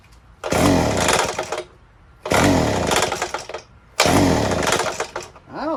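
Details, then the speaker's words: Used two-stroke on 50:1 fuel, bone dry, choked and primed: three short sputtering bursts each catching about a second then dying; runs rough and won't keep running, ether sprayed into carburetor next. "it'll run it doesn't sound right let's pump some spray into the carburetor and then try it"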